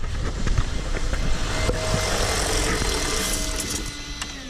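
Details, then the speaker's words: Range Rover L322 4.4 V8 petrol, fuel pump diagnosis: engine idles roughly then fades and dies within seconds once the fuel pump is switched off, stalling from fuel starvation, supporting a sticking intermittent pump theory. "I guess you turn the fuel pump off the engine stops"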